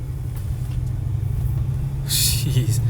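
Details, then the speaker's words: Old Dodge truck, idle just adjusted by about a 270-degree turn, driven around the block to warm up: low, even rumble with steady pulses and no knocks or misses, shifting great. Normal running. "smooth it's nice shifts great yeah yeah yeah just going around the block wow this is in great shape this drive is good"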